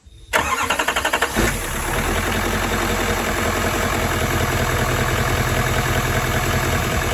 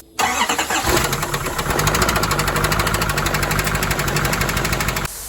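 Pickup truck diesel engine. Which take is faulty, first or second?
second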